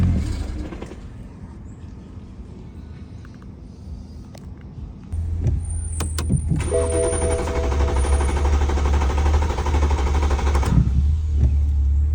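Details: BMW 335 (E90/E92), recently manual-swapped, randomly dies at idle with no check engine light or codes. The engine idles steadily, then cuts out and restarts. Fuel pump and the swap were ruled out; a faulty sensor caused the intermittent stalling.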